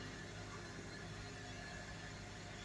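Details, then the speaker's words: 2003 Honda Element at idle after a tune-up: new coil packs, Denso iridium plugs, valve cover gasket and grommets, PCV valve and air filter. Immediately quieter, smooth, even idle with no check engine lights. Normal idle. "heck yeah no check engine lights nothing mad at me boy is that running smooth and quieter amazing"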